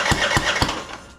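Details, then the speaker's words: Husky LT4200 with MTD Powermore 420cc engine, run very low on oil, starting fluid tried, no air cleaner fitted: cranks with three sharp pops blowing back out the intake and never catches; cause suspected, not confirmed. "not sounding so hot you can see out of the intake all we're getting is popping coming out real"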